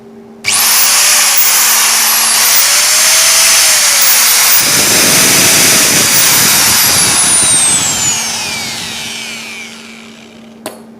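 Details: Hand angle grinder after repair for vibration and a loose contact: it snaps up to speed with a steady high whine, runs evenly, then winds down smoothly. Normal running.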